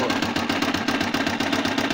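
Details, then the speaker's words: Motorcycle engine with very loud knocking before teardown: hard, evenly spaced heavy knocks about six a second in time with the engine beat; a deep internal knock, cause unclear until disassembly. "صوت خبط جامد جدا في الموتور زي ما حضراتكم كده سامعين."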